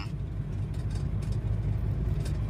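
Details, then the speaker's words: Mitsubishi Strada Triton GLX 4M40 diesel with low power and thick black smoke, idling while each nozzle pipe is loosened in turn: low, faintly uneven, shaky clatter. Vibration change is felt mainly at cylinder 1, so nozzles are suspected unequal or weak. "Nah ini kita tes kita longgarin pipa nosel ini tidak imbang getaran mesinnya dari dari 4 sampai 1 yang"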